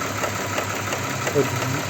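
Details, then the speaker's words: Audi Q7 3.6 FSI VR6 warming from cold: light, sharp ticking knock about three a second. It is absent when cold, grows as the engine warms and vanishes when driven. It comes from the rear under the plastic cover; a cam phaser is suspected, not confirmed. "вот звук он постепенно так издалека начинает появляется вот уже по мере прогревания оно усиливается Но если на ней проехаться то звук исчезает сейчас ждём она Ещё громче стучит моё предположение друзья это фазовращатель"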